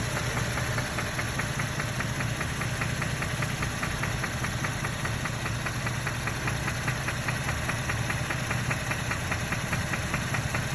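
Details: 2012 Chevy Camaro RS 3.6L petrol V6 idling: steady, sharp knock about two or three a second over a low rumble, engine knocking of unknown cause.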